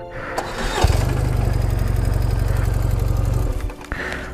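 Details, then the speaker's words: BMW R1150GS cranking steadily at about four beats a second without catching; injectors spray fuel as soon as the ignition is switched on, flooding the engine, traced to an injector wire shorting to the frame. "por ejemplo hay son no hay son a la bomba el inyector arrojada combustible y se detenía con la bomba se detenía pero como le repito que esto no debe esto no es normal y no debe ser así esto provocaba que la moto se ahogara"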